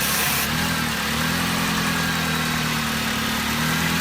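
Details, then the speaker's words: Fuel-injected car that won't start, brake cleaner sprayed into intake while cranking: catches and runs rough uneven idle only on the cleaner, then fades out; spark present but no fuel delivery, fuel pump suspected; fuel starvation. "now we know that it is getting sparked but it's not getting fuel so it'll shut off like right now"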